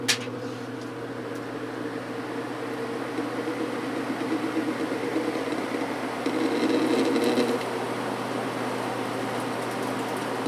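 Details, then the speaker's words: Vintage GE window ventilator fan after cleaning and oiling, running on high blowing out: quiet, steady hum with a soft airy rush, no rattles or scraping; slight vibration at certain angles. "a little bit of a vibration when it's sitting at certain angles but it is super quiet now I'm really impressed with this flow probably one of the quietest fans I've ever heard"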